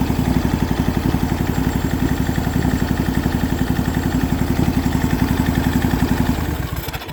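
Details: MTD Yardman riding mower twin-cylinder engine, first start in years, valves just adjusted, starter replaced, second plug wire now connected: even, steady putter of about three to four pulses a second with no misses; both cylinders firing cleanly, normal idle.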